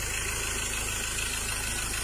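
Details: Mazda BT-50 Pro diesel, towed in with a no-start after several failed repairs elsewhere, now fixed and starting; soft, even diesel clatter at idle with no misses or knocks, a healthy settled idle.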